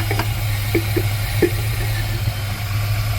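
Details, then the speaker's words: 1979 GMC C15 pickup at first-start idle with the air cleaner lid flipped for a throaty sound. Low, even idle with a deep intake rumble and no clanging or ticking, no smoke seen. Normal idle. "Alrighty, it runs. I don't see no smoke. I don't hear no clanging, clacking."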